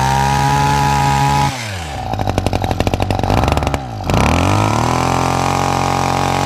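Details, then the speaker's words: Hedge trimmer two-stroke with a replacement carburetor that didn't fit right, loose bolt at the carb: steady buzz that stumbles and pulses unevenly through a rev then settles; uneven running, carb tune and tightening suspected. "So, I want a bit of a tune on my carburetor. And there's a bolt just here that's loose."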